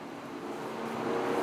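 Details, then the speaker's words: Car's electric radiator fan switched on by a ThinkTool 399 scan tool actuation test in the engine control module: a whooshing roar that spins up quickly and runs evenly. Fan running normally. "It's pretty good. Sounds like it's about to take off."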